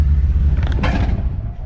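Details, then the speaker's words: Impala with low-voltage issue, pulling away from a stoplight: low rumble surging and dropping unevenly with road noise; stutters and loses power. Owner suspects weak spark, ignition module or coil; engine stumble under load. "when I went to take off, this thing stuttered real bad, like it's losing power. Weak or weak spark or something."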